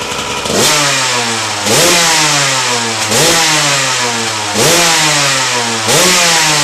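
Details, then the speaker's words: RM125 two-stroke dirt bike after a new 21" tire install, kick-started. Crisp revs snap up about every second and a half and drop back cleanly each time; it runs strong and healthy. Normal running. "Alright, let's see if this thing fires up. Usually starts on the first or second kick."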